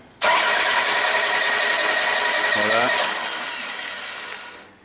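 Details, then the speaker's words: 2000 Toyota Camry towed in after it shut down while running; it cranks but won't start. Quick, light, even cranking spins too freely with no compression pulses, and a compression test reads nothing. A jumped timing belt is suspected, or less likely a major top-end failure; not confirmed. "Just off of sound alone, it's pretty obvious to me that this thing either has some major mechanical problem in the top end, which is a kind of unlikely, or has a jump timing belt."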